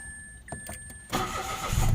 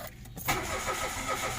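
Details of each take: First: Mitsubishi Mirage with hard starting and stalling on acceleration, after spark plug replacement: engine fires at once and settles to a steady, even idle; problem was a worn, powdery spark plug. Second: Mitsubishi Mirage that suddenly became hard starting after days of forced start attempts: brief, weak cranking, then it catches and runs roughly with an odd internal sound. Flooded spark plugs are suspected and are being removed for checking.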